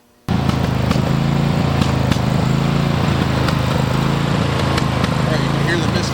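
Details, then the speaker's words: Riding mower with a Briggs & Stratton 23 hp engine: idles with uneven stumbling beat, a misfire from a failing ignition coil; stalls when hot, won't restart, vibrates and bogs, losing power. "Vibration or shake because it's misfiring. Loss of power, so mine's leaving lines between the blades now, because as it bogs down, it's misfiring, it's not cutting right."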